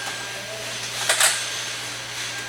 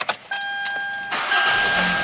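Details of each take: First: Hyundai Elantra GT with intermittent no-start: steady, even starter cranking, engine spinning but never firing; scope shows cam intake and exhaust signals but no crankshaft position sensor signal, circuit to be checked. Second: Hyundai Elantra GT with intermittent no-start, repeat start after sitting, following contact enhancer on the spread crank sensor connector pins: warning chime, brief crank, catches at once and settles cleanly; healthy start, no warning lights.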